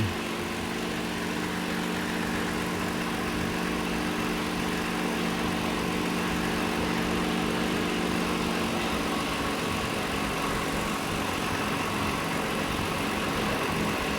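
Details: 2022 Toyota Avalon at idle with a steady but slightly uneven, loping beat; complaint is engine misfire with check-engine and traction lights, multiple misfire; ignition coil trigger on cylinder six being scoped, injector suspected.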